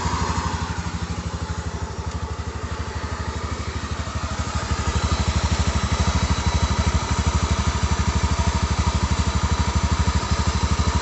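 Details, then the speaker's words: Honda Beat injection scooter idling with a steady pulse over a deep bubbling rumble, like water about to boil in a pan, loudest from one side; suspected dying crankshaft bearing, though the CVT pulley is also suspected and to be checked first. "Hai bunyi kaya suara air mau mendidih di dalam panci [Musik] ini kalau curiga saya ini bearing kruk-as bearing kruk-as sekarat"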